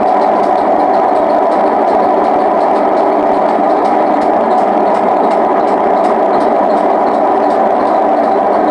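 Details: Hotpoint WM74 washing machine at high spin: loud steady rumbling roar like a passing train from worn drum bearings, which need replacing again.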